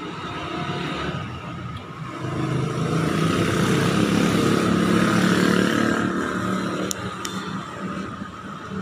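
Engine picks up smoothly, holds, then settles back to an even run with no knocks or rattles; sounds healthy.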